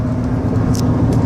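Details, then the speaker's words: 2002 Dodge Grand Caravan SE wheelchair-conversion van, 148K miles, cruising about 70 mph on cruise control: steady, even drone and road rumble with no hiss or whistle of air leaks. Normal highway cruise. "and drives realize down the highway I don't hear any you know any big leaks at air leaks or anything I had the cruiser sat at about 70 cruise control works good"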